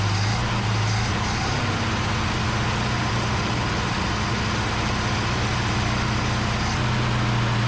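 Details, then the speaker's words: 1971 Plymouth Satellite barn find (reportedly 440 V8) holds a fast, steady idle with a heavy low drone. The idle is set far too high and it needs a tune-up; blocked carburetor passageways are suspected. "he was correct in the fact that it definitely needs a tune up should not have to have the idle turned up that high I'm guessing and there's some blocked passageways in there"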